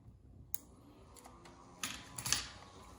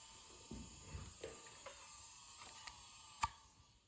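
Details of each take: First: Floppy drive in an HP Pavilion N5445 laptop (c. 2001, AMD Duron/Athlon) clicks and buzzes quietly and irregularly at power-on during a partial-assembly test boot, with no display shown; normal floppy seek at boot. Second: Hitachi 2.5-inch IDE hard drive made July 2001 from an HP Pavilion N5445 laptop: thin steady high spindle whine under handling knocks; bearings possibly wearing out.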